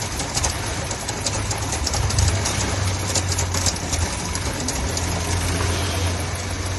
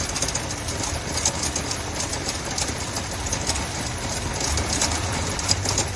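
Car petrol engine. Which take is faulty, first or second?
second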